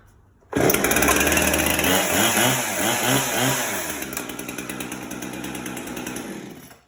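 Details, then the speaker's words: Husqvarna chainsaw cold start: purged, choke on, pulled twice until it fired, then choke pushed off. It catches and settles into a steady, even two-stroke buzz with a regular beat. Normal running. "It should be 1 or 2 pulls, and this chainsaw should be up and running."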